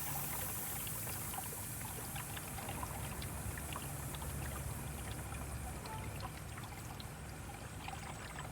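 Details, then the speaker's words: Pool pump after turning the pressure-relief knob: soft steady trickle and pour of water over a low pump hum as the water level drops and pressure releases; normal before opening the housing. "you'll start hearing the water level go down it takes a little bit there it goes"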